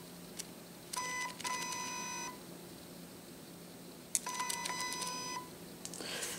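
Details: Shanny SN600N speedlite zoom head, about 44–45 dB measured, in a noise comparison against Nikon SB600, SB700 and Atura flashes: two short thin high buzzing whines, about a second each, as the head zooms; normal zoom motor noise.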